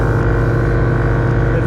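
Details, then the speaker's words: Right air-ride compressor on a bagged Lincoln Continental after a full rewire with a new short ground and a custom-mounted AccuAir E-Level ECU (loose solenoid wire and ground were suspected of frying wires): loud, steady, even hum without stutter or cut-out; running normally. "Got my short ground on this one for the right compressor. And so I think I'll fire it up."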